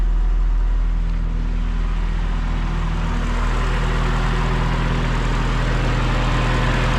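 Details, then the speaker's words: Turbocharged wagon at idle after reassembly with thermostat, coolant and ECU refitted, clutch pressed: steady even low idle with no whirring or grinding; the weird bearing noise previously heard at idle is gone. "normally you would hear that noise on idle we don't hear it anymore"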